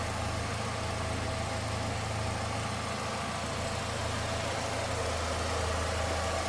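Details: 1999 Chevrolet Cavalier Z24 convertible, 2.4 L DOHC inline four, about 39,000 actual miles: even, low hum at steady idle with no ticking, knocking or stumble; smooth normal idle.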